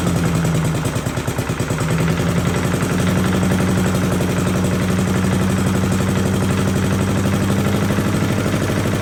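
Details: 1982 Billy Goat vacuum small engine after an ignition swap: steady, even firing with a clean beat that picks up slightly and holds smooth, no misses. A very solid running engine.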